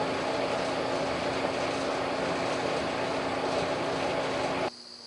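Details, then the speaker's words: Clothes dryer after replacing both worn drum support wheels: steady even rush of air with a low constant hum, the former loud thumping gone, now running normally and quietly. "once the new Wheels have been installed simply put everything back together in the order it was taken apart the loud thumping noise is now gone and it's completely quiet"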